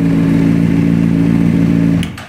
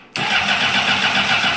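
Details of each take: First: 2004 Honda CBR600RR after fixing a no fuel prime no-start fault in the ignition switch Zener diode; steady even hum at constant pitch, then shut off and winding down; smooth healthy running with no knocks. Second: 2004 Honda CBR600RR: with the lights and tach on, the starter spins briefly and the engine never fires because the fuel pump doesn't prime. A busted ignition switch fails to activate the fuel pump circuit; grounding that circuit made the pump prime.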